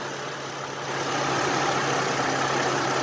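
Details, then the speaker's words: 2003 Chevy Trailblazer right after ignition coil replacement: even, steady idle with a smooth low hum, no sputtering or skips; the misfire is gone and the engine runs normally. "definitely a smoother running engine right now I I can physically see and not sputtering and I can hear it it's not misfiring at all"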